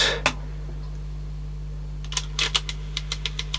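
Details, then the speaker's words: 1980s Teac CX210 cassette deck with belts replaced and the mechanism partly apart. Over mains hum, sharp clicks repeat about six times a second. A little white part at the top jumps up and down; it is improved after loosening, with slight grinding remaining. "and it's still clicking bit that is on it's this little white bit here at the top you can see and it's jumping up and down a bit"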